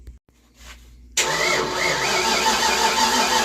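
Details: 1988 Ford Mustang GT V8 with MSD ignition, unstarted since 1999, cranked with an extra battery jumped in: starter spins fast and even, about three turns a second, but never catches. MSD firing, fuel pressure present; owner suspects ignition timing.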